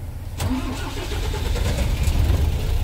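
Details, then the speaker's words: MAN diesel tractor head, just after bleeding the fuel filter and water separator; brief crank, catches on the first click and settles into a steady low rumbling idle, a clean start showing the fuel system was bled properly. "One click mga buddy. Ayan, umandar na. Okay. So, bali, basta na-bleed ng maganda yan. One click yan. Under ka agad yan mga buddy."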